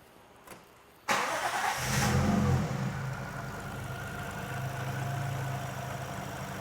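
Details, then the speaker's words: Lexus IS200 with newly installed Eaton M62 supercharger kit, after fitting custom cold air intake with BMC shrouded filter and no resonator box: smooth idle with only faint steady blower whine, noticeably quieter than before; normal. "is definitely quieter at idle you could hear it whining at idle before"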